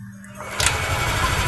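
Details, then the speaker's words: Yamaha Aerox scooter after replacing the camshaft bearings that caused its rough noise: short crank, then a smooth, even, quiet idle with no knocking. Normal idle. "oke teman-teman bisa dengar sendiri suaranya sudah halus ya"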